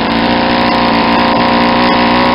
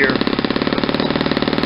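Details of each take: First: Saito 50 four-stroke model engine, first run after bearing and ring rebuild, APC 11x7 prop, 10% fuel, needle leaned out from rich: steady clean high-pitched buzz climbing slightly, smooth near peak RPM. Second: Saito 50 four-stroke on its first run after a new ring and bearings, turning an APC 11x7 prop on 10% fuel: slow, uneven, blubbery popping that never smooths out, with the needle deliberately set very rich for run-in.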